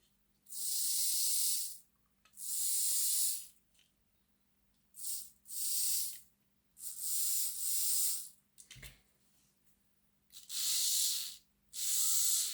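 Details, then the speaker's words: Replacement chassis motor of an old Lima Class 40 model locomotive after cleaning and service, compared with the original motor: short runs of soft, even high hiss with no rattle or grinding; it runs noticeably quieter. "Yeah, that's definitely a lot quieter."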